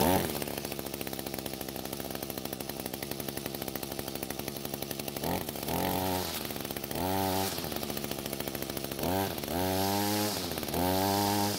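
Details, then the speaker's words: Echo GT200R trimmer after carb adjustment and re-engaging drive shaft: steady two-stroke buzz, clean blips to high revs and back; running properly, high-speed screw already correctly set. "so it looks like that fixed the problem in the the engine seems to be running much better as well"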